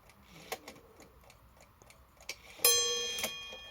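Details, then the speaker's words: Badische striking alarm clock after repair, cold day: a few light ticks then a single clean bell strike with long ringing decay marking half past; striking works and hammers sound right and even. "that's good. That's half past. Let's do 4 o'clock."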